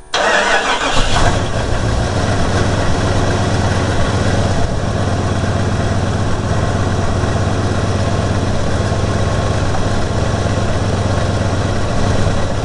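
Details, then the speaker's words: Carbureted engine on a stone-cold start after sitting overnight, choke on, vacuum gauge bouncing around 13 while warming up. Catches and settles to a fast, slightly uneven, unsteady idle. Rough cold idle. "so right now Stone Cold chokes on it's kind of bouncing around 13 degrees as it's warming up"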